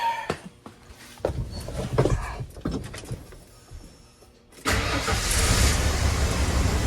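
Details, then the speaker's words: 1994 Ford F250 after a no-crank no-start repair, with new coil pack, cap, rotor, plug wires and plugs and battery reconnected, catches straight away and settles into a steady, even idle, running like a top. "Ooh, like a freaking top."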